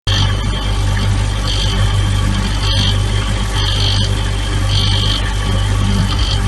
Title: Siemens Fridge Strange Noises